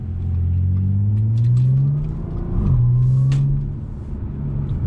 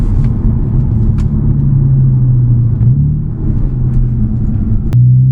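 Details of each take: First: Supercharged Audi with catless downpipes, stock exhaust with the mufflers refitted in place of the muffler delete: smooth engine note rising and falling through the revs, supercharger audible, with the earlier cabin drone gone. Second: Audi with stock exhaust, muffler delete and catless downpipes, cruising in fifth then shifting to fourth: deep steady booming drone in the cabin dropping in pitch through the gear change, caused by the muffler delete.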